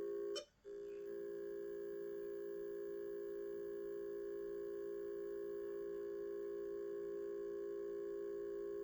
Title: Broken Seagate with beeping noise